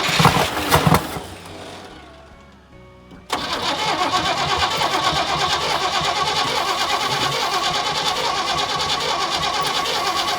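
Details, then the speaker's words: 1976 squarebody farm truck V8 sat about 20 years, first start fed from a temporary fuel hose and tank: starter whirs, catches with a bang and settles into a steady, slightly lumpy idle; small fuel leak, needs tuning. "Oh, we got a bit of a fuel leak on the car, but it's running. Idling after 20 years, at least."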